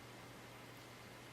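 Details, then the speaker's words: Packard Bell iMedia S3720 desktop tower after a restart to address loud fans: soft steady hum with low even whoosh, no rattle or surge; the rear case fan now spins slowly and very quietly, healthy. "wow it is now gone really quiet and that fan in the back is spinning very slowly for quite a wide range on that little fan I'm very impressed"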